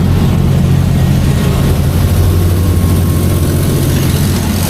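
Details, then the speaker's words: 200 kW rental diesel generator (6.7L, 600V mode) at full 200 kW load bank about an hour in, burning off wet stacking: a loud, steady deep drone with no hunting or knocking, no smoke; 192 A, 192°F, 42 psi oil. "You hear the sound of that thing, it is loud, it is moving, but there's no smoke. We are currently on full load, 200 kilograms."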